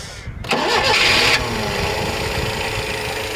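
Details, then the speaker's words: 1976 Peugeot 204, barn find stored about ten years, first start after sitting: cold engine fires then thin, slightly uneven idle as fuel is heard going in; owner suspects not warm enough, wants choke. Rough cold running, cause unconfirmed. "i can hear it putting fuel in maybe she's just not warm enough yet for that without joke"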